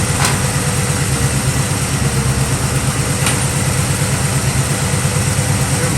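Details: 1965 Chevrolet Nova wagon V8 at idle, after swapping the two-barrel Rochester carb and intake for a Holley 600cfm four-barrel and Edelbrock aluminum intake to cure hesitation. Deep, even burble with regular firing and no miss or hunting. Normal idle with much improved throttle response.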